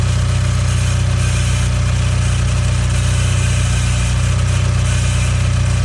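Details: 2015 Nissan Juke Nismo RS, 112,000 miles, at idle: a fast even rattle and hiss at about four beats a second. It seems like a vacuum leak, but everything is bolted down and it drives well; timing chain suspected, unconfirmed.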